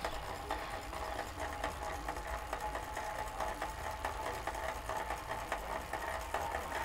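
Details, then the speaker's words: Wahoo KICKR Core trainer with an old-chained rental bike under hard pedalling: irregular metallic ticks and creaks about two a second from the chain and bike, a freehub, over a very slight flywheel whir; drivetrain creaking, not the trainer. "you can hear the creaking from the whole bike situation if you heard a very slight whirring of the back of the flywheel so it's not it's definitely not like absolutely silent but the sounds you're hearing are primarily metal and chain type sounds"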